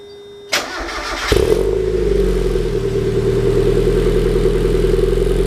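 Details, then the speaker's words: 1991 Mazda Miata start-up after replacing a temporary test pipe with a new catalytic converter and new gaskets: short crank, clean catch, steady even idle with a soft, quiet exhaust and no rasp or leaks; much quieter than before. "If y'all knew what that sounded like before, then y'all would agree that that's much quieter."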